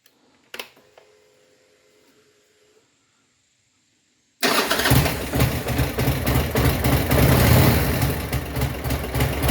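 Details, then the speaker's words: 2002 Buell S3T V-twin after fixing a starter click traced to a bad ground strap by the rear brake light switch: quiet clicks, then it catches and settles to a steady, even lumpy idle, no knocking. "There's the ground strap all along. All right, this is how it's supposed to sound."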